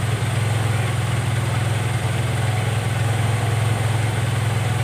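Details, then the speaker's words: Carbureted Honda Vario 110 (Techno) with an unstable idle that rises and falls by itself: steady fast idle with an even, rapid beat running well above normal tickover. High idle. "Oke, jadi motor ini dia kasusnya langsamnya tidak stabil, Guys. Naik sendiri, turun sendiri, besar sendiri gasnya, kecil sendiri, pokoknya enggak normal, ya."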